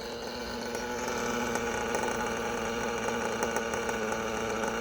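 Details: OPS Speedster Power .21 nitro engine in a race buggy, leaned toward max power on a warming morning after an earlier lean bog: busy, buzzing idle with a slight waver but no stumble or bog; healthy idle after the run.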